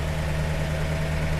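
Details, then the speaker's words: 1948 Buick Roadmaster Model 79 with 320 cu in OHV inline eight, fuel leak still unfixed: low, steady, even idle with no misses, knocks or ticks; smooth and running on all eight cylinders. "but man that thing sounds good it sounds like it's running on all eight yeah you notice how smooth it is"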